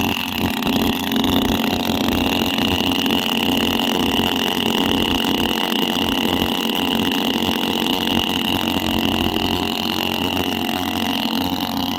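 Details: Petrol engine of an agricultural engine drone running steadily at high revs: loud raspy buzz with a sharp whine on top, like a bike without a silencer; runs normally, just very noisy.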